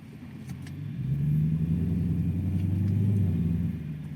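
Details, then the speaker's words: Infiniti Q45 at slow walking-pace driving after fixing clunky clicking axles: smooth low engine rumble, shifts well, axles now silent; one clunk when first put in drive; before the fix it clunked coming to a stop or into reverse. "shifts so good now axles are silent"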